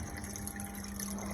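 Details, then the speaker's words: Neptunian Cube aquarium sump after overflow tuning: continuous gushing, splashing water with a faint steady hum in the drain chamber because no filter roller or sock is fitted yet; overflow silent, emergency drain dry; noise expected to disappear once sock is installed. "The sound you hear right now is coming from the drain chamber, because there is no filter roller or filter sock installed yet. Once those are installed, the sound will disappear."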